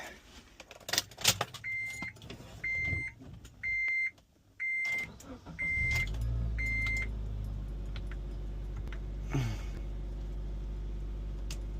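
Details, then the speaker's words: 2004 Honda Element EX just after oil change to Valvoline Restore & Protect 5W-30: door chimes, start, then low steady even idle with no knocks or ticks; normal idle. "Oh yeah, sounds good."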